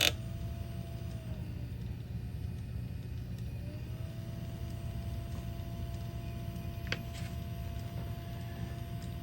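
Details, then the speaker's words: 1984 Bose AW-1 cassette deck with a new capstan motor on an 18 V bench supply (12.12 V measured at the motor): a thin, steady whine over a low hum; the motor clearly spins much too fast. "It's obviously working, but really fast. That is not going to work. How fast it is."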